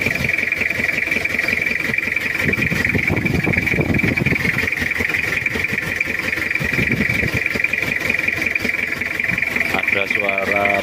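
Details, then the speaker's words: Toyota Kijang diesel, cold start, oil-burning with suspected leaking compression, glow plug heater fault found: uneven limping idle with irregular knocks over clatter; rough idle. "jadi ada yang bermasalah Disi pemanasnya dan ini adalah suaranya Udah pincang juga ada bubuk"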